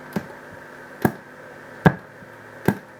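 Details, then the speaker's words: Boss PH-3 phase shifter pedal under repair, 1 V RMS 500 Hz test signal in: four sharp pops, one each time the pedal switches on or off, with no tone passing between them; output works, input suspected stuck in mute. "so there's a pop when it turns on and off so the output is working but the input somewhere is probably stuck in mute it's not getting through"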